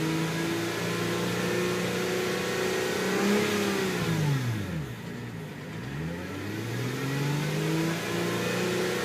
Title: Tiburon engine whine noise